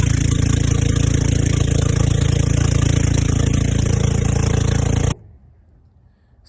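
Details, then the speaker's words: Old golf cart engine, carburetor fine and fuel line suspect: a deep, even thump at about four beats per second for five seconds, then shut off. It runs smoothly; the battery is the only problem, as it won't restart. "guys we just went on a Dy ride with the golf cart over there she's running great but it seems like our only problem is the battery"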